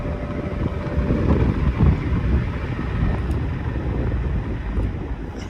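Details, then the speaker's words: 1991-92 Patton 12-inch high velocity fan, non-capacitor motor, after oiling the front bearing only: a steady whoosh of moving air on high speed over a low even hum, with no ticking, scraping or squeal; the fan spins smoothly. "I'm giving it some zoom spout. Front bearing only, that's all I can oil it in. Seems to be doing quite well even when I put it at high speed."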